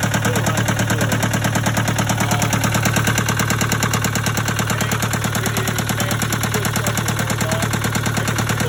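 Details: Case 188 four-cylinder diesel tractor idling before teardown, with new oil pressure and temperature gauges: a lumpy idle with a heavy, regular thump of about ninety-odd a minute, a rough, knocking beat and smoke. Number one cylinder appears dead.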